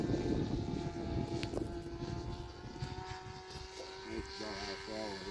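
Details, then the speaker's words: Rebuilt Sig Kougar RC plane on maiden flight: thin buzzing engine note holds, then wavers up and down near the end as it leans out and sags; pilot thinks it needs bearings, bearings screamed previously; sagging and surging in flight. "That sounds like it's running a little red. I think it needs bearing."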